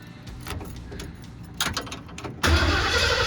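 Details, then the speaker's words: 1979 Ford Bronco in restoration, with gas now at the carb, no coolant: short crank then fires instantly and settles into strong steady run; clean healthy start. "[Music] [Music] it let's go right away did you hear that that really fired up instantly"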